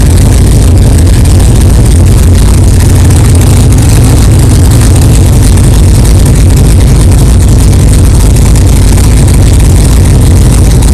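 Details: 1964 Chevelle 383 stroker V8 at first fire-up after an 8-month build, alternator charging, 11° timing, 63 lb oil pressure: deep, steady, even burble, no knocks or clatter; healthy normal idle.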